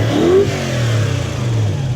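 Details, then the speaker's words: Toyota Hilux with 1UZ-FE V8, lack of power and poor idle, after swapping the coil brackets: revs rise cleanly and settle with a fuller, even note, no longer flat; all cylinders firing normally. "Oh, that's got a bit more of a twang to it, hasn't it? It's got a bit more noise. Doesn't quite sound quite as flat."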